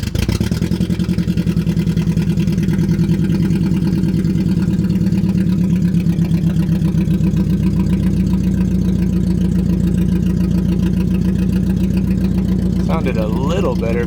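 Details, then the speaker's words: Budget Mercedes-Benz project car with no exhaust fitted: loud open-pipe idle with an uneven stumbling beat, running on three cylinders; a visibly damaged coil pack was found, spark plug looked fresh. "for a second there but it's also pretty hard to tell with no exhaust on that one yeah just that one yeah all right so we're we're on three cylinders"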